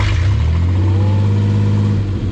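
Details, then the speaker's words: Truck after oil pump failure was taken care of (second failure in 18 months), warm restart: catches immediately, firm smooth raised idle, oil pressure about 40 psi, nothing irregular, runs healthy. "look at that. Idle's up. Oil pressure's good. It's at about 40 right now."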